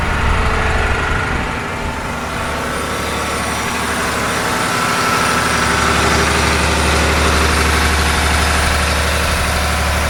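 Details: John Deere 850J dozer diesel engine, re-rebuilt after a post-rebuild noise forced a second teardown, fluids topped off, run outside for a leak check: steady smooth idle, low rumble, no knocks or leaks; sounds normal.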